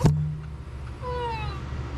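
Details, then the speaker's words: 2003 Chrysler Town & Country 3.3 L, belt off after tensioner failed: turning the water pump pulley by hand gives a short, high, falling squeal; worn water pump bearing, idler and tensioner pulleys also bad. "that's the water pump when i spin it it cries stop"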